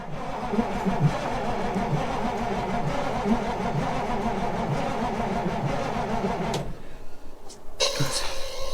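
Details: Old diesel semi truck, sat roughly 23–30 years in storage, cranking slowly with a 12V jumper pack added; long uneven cranking, catching and stumbling without settling before ether gets it firing. Hard starting after long storage.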